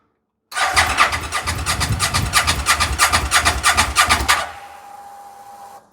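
About four seconds of quick, even starter chugging at roughly three beats a second, then it stops without the engine catching; a crank-no-start.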